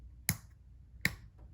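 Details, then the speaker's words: 1995 Honda Shadow VLX 600 (VT600CD) with the start button held during a starting-circuit test: two crisp starter-relay clicks that come inconsistently; the engine start/stop switch is the fault, suspected dirty. "the actual problem i can't even get it to go now is in the engine start stop switch that's why every so often i would get a jump because it might have been complete in the circuit"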